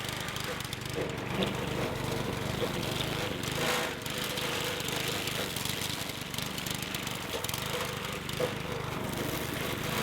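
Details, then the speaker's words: Legend Force walk-behind string trimmer, small engine: buzzing note swells and sags unevenly, dipping hard near four seconds, surging and kicking, nearly dying; cause unknown. "you hear it kind of surging feels like it's going to die it's suring it almost died a second ago now it's like surging and kicking sideways"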